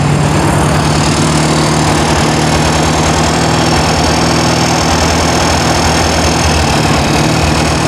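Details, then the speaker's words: New 1600cc flat-four in a 1968 VW Karmann Ghia, first run during cam break-in after timing adjustment: smooth, busy beat held steady at raised revs, no knocks or misses; normal high idle. "I'm gonna dial it down just a little bit but just let her choose right now I'm breaking in the cam"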